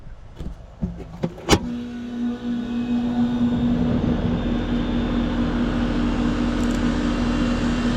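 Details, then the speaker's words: Home AC outdoor unit after owner had to keep resetting power; capacitor rated 45/5 read 45.96/5.28, fan motor suspected burned but draws 1.2 A of 1.4 rated: clicks at start-up, then steady, even low hum; normal condenser operation. "Sounds much better. Let's check amp draw on that condenser fan motor."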